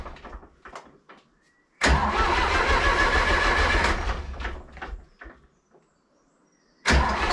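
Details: Zetor 4911 tractor diesel, stored in a dry shed since last run 3 Oct 2012 (engine renovated just before storage), with a loose core plug at the back of the head: rapid chugging crank, catches briefly, fades, cranks again; hard starting after long storage.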